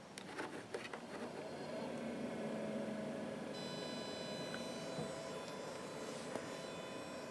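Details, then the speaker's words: Newly installed diesel heater in a DIY truck camper, switched on by remote: a quiet whir comes up and settles into a steady fan hum with a faint high whine; the heater blower has started normally. "And I should be able to grab the remote and turn this thing on. Yep, there you go. You see this thing just turned on."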